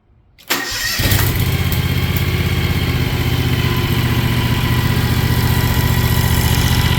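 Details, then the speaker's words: John Deere X720 riding mower, likely an earlier model, freshly fitted with a new motor: cranks briefly, catches at once and settles into a steady, even low idle with no knocks or misses; normal start and idle. "So yeah, like I said, super happy, super excited to have the motor in it. It runs great."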